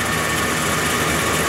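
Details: Lincoln V8 started after sitting overnight, idler and pulley bearings greased; steady, even idle with smooth rush and no squeal or chirp: normal idle.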